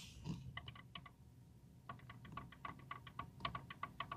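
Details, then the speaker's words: Genesis GV80, engine off, brake pedal pressed: sharp clicking in quick runs of about five a second, traced to the ABS module under the hood. "and that that clicking and also the last time we made a video we went on outside and we heard that from the module itself outside right under the hood"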